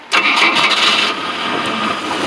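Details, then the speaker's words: Fiberglass power boat engine after fuel filter change, unrun for about a week, cranked at idle throttle; quick crank, catches at once and settles to even idle without stumbling, not fuel-starved: normal engine start. "oh it starts right up i haven't run this in about a week so the fact it started right up is pretty cool"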